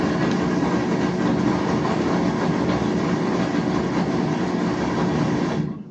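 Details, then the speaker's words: Whirlpool washer (WTW4950HW3/WTW4955HW3 type) drains continuously from power-on and skips wash cycles: steady drain pump whir with rushing water, stopping abruptly with a click; control board fault suspected, not confirmed. "Empieza a drenar. Está drenando, miren. Y no está pasando nada dentro, absolutamente nada. Solo está drenando."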